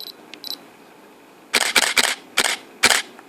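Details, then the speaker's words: Canon 70-200mm L IS USM lens on camera: faint whir as the Image Stabilizer engages and disengages after shooting, then quick sharp mirror/shutter clicks; normal stabilizer noise, quieter than the mirror, not a defect. "Então é isso, tá vendo esse barulhinho depois que ela acabou e desligou o Image Stabilizer? Então é esse o barulho que nós estamos tratando e falando do Image Stabilizer, que é praticamente o mesmo barulho do espelho,"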